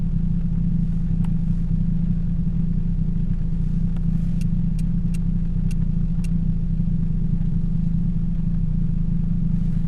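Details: 2007 Toyota Yaris 1.5L 1NZ-FE, cylinder 3 misfire blamed on a bad coil, new plugs and coil packs fitted: steady, even low idle hum with no stumbles or skipped beats, light rain ticking on top.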